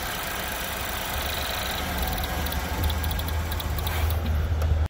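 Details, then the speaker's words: 2016 Chevrolet Equinox 2.4 L direct-injected, code P0172 rich: after ignition off the engine sputters and keeps running with a rough low rumble, from fuel leaking past the high-pressure pump into the cylinders. "It was sputtering. It keeps on running. Now I'm trying to think what's going to cause that. Fuel in the cylinder, of course."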